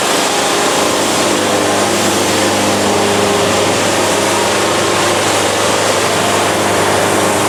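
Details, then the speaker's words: Bandsaw sawmill blade laboring through a bad cut: steady harsh gritty roar under the engine drone, the band fighting the wood and grinding, producing an ugly cut; blade straining and grinding in cut. "yeah this is painful you can hear the band fighting it even hear it grinding ah so this is the definition of a ugly ass cut"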